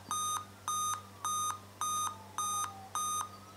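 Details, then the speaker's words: Dell laptop at power-on: eight evenly spaced high beeps, hard drive starts, fan kicks in, then a faded beep, an 8-beep error indicating display failure. "you hear it eight beeps hard drive goes on fan kicks in and then a faded beep"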